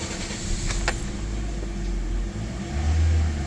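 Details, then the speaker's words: 2016 Toyota Corolla Altis 1.6 with check-engine light and misfire codes P0351–P0354, P1603: runs with lumpy low note, rising slightly with throttle held; stalls unless accelerator held, no pickup. "Accelerator रख रहे हैं तो वो start रह रही है वरना बंद हो रही है"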